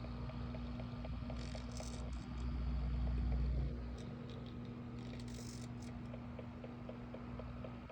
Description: This AC Infinity Cloudray Series S6 fan is knocking during oscillation and is way louder than the other S6 fan which is just grinding.